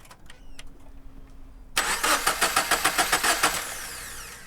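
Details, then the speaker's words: FR-S with freshly swapped spare FA20 engine, first start attempt; quick, even cranking pulses, about three or four a second, never catching; cranks but won't start, fuel system still needs priming. "Pee on a couple times first. Still need a prime."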